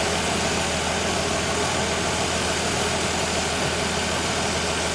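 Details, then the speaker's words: 1965 Ford Falcon inline six at idle, checked rocker by rocker (cylinder 4 and others) for a suspected tapping valve: uniform valve ticking at every rocker, none louder than the rest; owners suspect they were overthinking it, normal valvetrain. "Sounds the same. Maybe we're finding we're making up. Yeah, maybe we're thinking about this too much."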